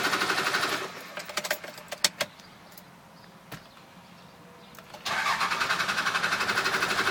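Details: Cummins 12-valve diesel hard start after running out of fuel: long cranking about four beats a second, a pause, then catches and settles to rough idle; air in fuel after running dry.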